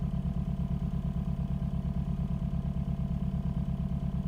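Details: 2013 Hyundai Genesis Coupe 2.0T idling lumpy with a regular stumble about twice a second: misfire from no compression in cylinder 4; the dealer suspects a hole in the piston.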